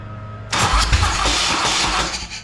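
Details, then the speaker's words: Custom motorcycle with a big-inch S&S Evolution-style Harley V-twin, revived after sitting about 20 years: harsh, uneven cranking whir that nearly catches and then fades. The heat-soaked starter quits once warm and is worn out; it was replaced. "it was starting it was starting but you can hear that starter starts take a dump oh yeah see soon as the starter gets warm it stops"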